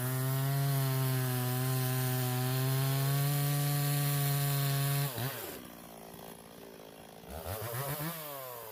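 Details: Stihl 026 chainsaw that pops or misses when hot or pushed hard, in a cut: high steady buzz falls away and stumbles unevenly under load, pitch wavering; misfire, suspected coil or wire grounding out.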